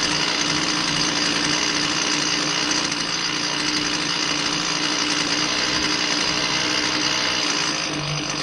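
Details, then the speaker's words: Husqvarna 128L string trimmer, after new fuel lines and a new metering diaphragm replaced a stiff one that caused bogging, runs with a steady high two-stroke buzz, even and free of bogging or surging. "I want you to pay attention to how different this sounds and reacts to adjustment."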